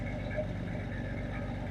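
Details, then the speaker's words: Engine idling after its cold-start fast idle ends, tailpipe scrubbing pads removed: quiet, even low idle with soft regular exhaust pulse, no knocks; not too bad, unlike the really loud first minute; normal warm idle. "This is what it sounds like when it's done with its cold start, fast idle."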